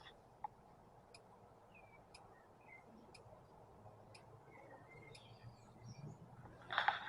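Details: Isuzu 4JX1 engine injector click test via Tech 2 tool: five sharp faint ticks once a second over a quiet background; injector clicking cleanly as it should.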